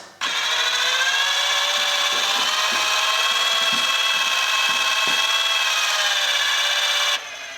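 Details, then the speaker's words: Alfa 145 headlamp levelling motor driving the headlamp: thin steady electric whine for about seven seconds then stops. "It appears to be the little motorised unit that adjusts the headlamp movement. I'm going to try and listen to see if I can make it do anything when I move the headlights. I can hear it working."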